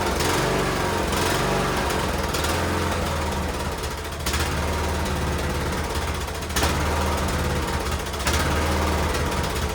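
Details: Cub Cadet LTX1040 lawn tractor single-cylinder engine after removing the carburetor to fix a leaking gasket at the fuel solenoid: steady, even thump, no stumbling; leak fixed, but drive belt seemed to slip and it wouldn't go into gear.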